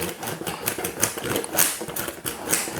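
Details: Combination luggage lock dial turned by hand gives quick, uneven plastic clicks; the wheel's code mechanism slips and jumps, scrambling the set passcode so the lock won't open.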